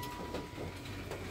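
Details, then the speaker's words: Aftermarket electric retractable antenna extending when ignition switched on, after replacing a blown radio/antenna fuse (antenna itself was fine): short steady motor whir with faint high hum; working normally. "Je vais mettre le contact simplement et ça va lancer l'antenne. Donc je suis trop refait. Donc là, je mets le contact. Elle sort."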